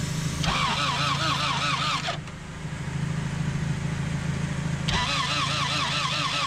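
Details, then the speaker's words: Honda CRX B18 sitting two years, plugs cleaned, injectors disconnected, running only on sprayed starting fluid: catches and runs unevenly, stumbling and dropping before picking up; the alternator pulley is seized and burned off the belts. "all right so we got it started and I just found out that the alternator is completely seized up the pulley isn't going it did burn up the belts right off but we did it get it started"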